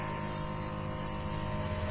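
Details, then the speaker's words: Samsung double-door fridge: loud, steady whirring drone with a rough, raspy edge from the freezer, fan blade scraping on heavy ice built up inside around the coil. "इस वाले fridge के freezer से जो है दोस्तों बहुत ज्यादा आवाज ए रही है"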